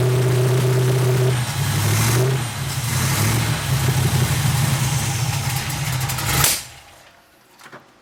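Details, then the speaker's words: 350 V8 truck on first start, after a large vacuum leak at an unhooked brake booster was temporarily patched: revs up and runs rough and uneven with a choppy beat and loose tapping; owner suspects tight valves and plans to check valve adjustment. "Well, I run it a while. I kind of quit cameraing because I was busy, but I don't know, it don't sound too impressive. Sounds like the valves are tight or something."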